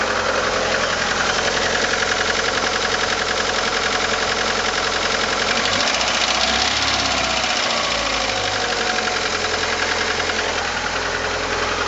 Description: My car - 1989 Probe GT with F2T engine - is making a knocking sound.